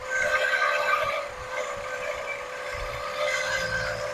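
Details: 1979 Lincoln Continental abandoned 32 years, first run at idle: thin steady whistle over the low rumble; traced with a screwdriver stethoscope to the smog pump, which was removed, leaving the engine quiet.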